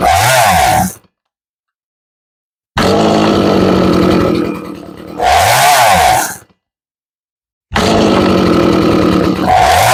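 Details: Stihl MS 180C chainsaw, unused for years, with tank cleaned and a new spark plug. Two-stroke buzz catches in bursts of a few seconds, then dies twice. It runs only while the choke is worked on and off; a fuel supply or carburetor fault is suspected.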